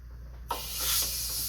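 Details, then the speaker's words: Hart 20V 120 psi cordless compressor feeding an air tool: sudden steady sharp hiss of air leaking at the hose-to-tool connection; compressor struggles to keep up and couldn't recharge from 90 psi until the tool was unplugged. "I got a fair amount of leakage here, but yeah, it has trouble keeping up with that."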